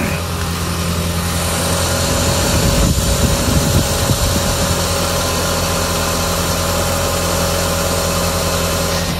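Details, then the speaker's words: Audi TT after power steering line replacement and fluid bleeding, engine idling with car fully reassembled: steady idle, no whine, groan or gurgle from pump, no sound of air left in system; normal power steering operation. "again it looks fine to me you'll notice that stressed about there's no noise of air in the system"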